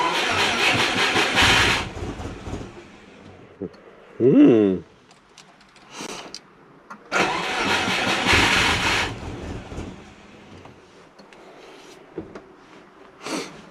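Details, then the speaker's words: Turbo Subaru Forester, Haltech Elite 550 after a firmware update where some tables and settings didn't transfer: engine catches and revs a couple of seconds then dies, twice; stalling at idle from missing ECU settings. "Doesn't want to idle."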